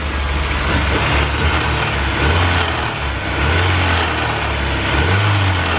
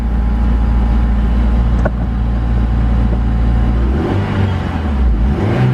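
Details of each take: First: Honda S2000 under hood, engine revved: loose metallic rattle rising with revs from a loose alternator and loose manifold brackets; knock sensor picked it up and pulled timing, causing low power; also runs rough and stalls. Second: Honda S2000 after refitting missing alternator and header bracket bolts, correcting valve adjustment and changing dirty fluids: smooth, even idle with clean throttle blips, no rattle or clatter; much quieter and healthy.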